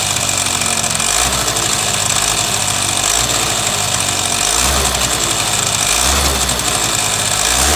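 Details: Suzuki Sepia ZZ scooter at idle: rough, rattly tapping over the buzz, pulsing about every second; abnormal engine noise, cause unclear.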